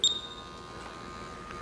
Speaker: you'll hear a slight buzzing that is actually the motors in the laser turning